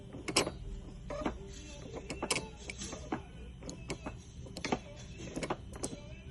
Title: BMW 328Xi E90,E9x broken front U joint from front drive shaft. Grunting noise, Squeaky noise.